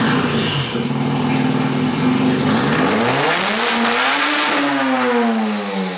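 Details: Car cranks long and steadily but never fires. The cranking tone drags down and changes as the throttle is held, bogging it slightly. Owner suspects it needs plugs or isn't getting enough fuel; hard cranking, no start.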